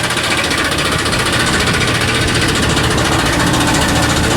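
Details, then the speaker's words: 2007 Chevy Silverado 2500HD, 6.0 Vortec V8, automatic, about 323,000 miles, engine light on: harsh uneven banging three or four hits a second over the running engine; suspected loose flex plate, transmission to be pulled. "that sounds horrible let's get this thing in the shop figure out what's going on with this thing so my guess is that this needs a flywheel flex plate not a flywheel it's a flex plate"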